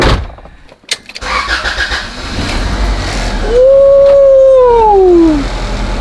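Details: Honda Prelude H22A4 after engine rebuild: cranks briefly, catches cleanly and settles into a strong, even idle, some vibration remaining; normal start and idle.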